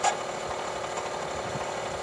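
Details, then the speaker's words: 1988 Soleq Evcort electric car, in-vehicle test after repairing its DC/DC converter, holding 14 V at 9.5 A: the power-brake vacuum pump runs with a steady buzz and a thin scraping squeak. "It's holding 14 volts, 9.5 amps. That's the vacuum pump for the power brakes running and squeaking"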